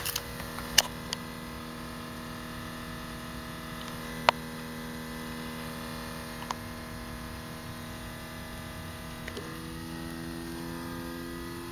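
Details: 2012 Scion tC, bought new two months earlier, parked with the engine off five hours after driving: a steady low buzz or hum from the rear near the exhaust; owner wonders whether exhaust or fuel pump.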